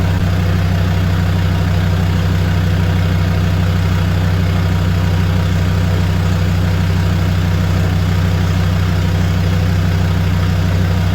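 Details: Land Rover Defender 130 TD5 diesel, first start up after sitting and purging air from the fuel system: deep, even diesel clatter at a steady low idle with no misses or hunting; normal idle.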